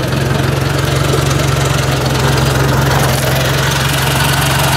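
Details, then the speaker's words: Ford 800 tractor idling just after a cold start, with a new muffler installed: firm, even low thrum with no popping or exhaust leaks; sounds tight, normal idle. "listen for any noise it sounds pretty nice and tight there now feeling popping or nothing should be all good"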